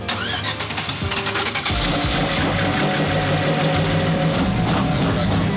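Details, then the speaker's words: Quad-turbo LS-swapped Audi Quattro with newer LS block and LS9 cam: starter cranks about three turns a second but never catches; no-start because the 58 harness front cam sensor connector is pinned backwards for the 24 sensor; battery running low. "so the front cam sensor on a 58 harness is pinned backwards from a 24 sensor we have a 24 sensor because this is a newer block and an LS 9 cam"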